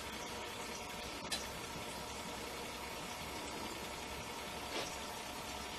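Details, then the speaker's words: EcoSmart electric tankless water heater (27 kW model) running: steady soft rush of flowing water with faint ticks from the flow sensor; no moving parts, normal quiet operation. "I think what that noise is actually is the flow sensor that's measuring how much water is flowing. It makes a slight noise, but other than that, since there's no real moving parts other than water flowing through it, it makes basically no noise."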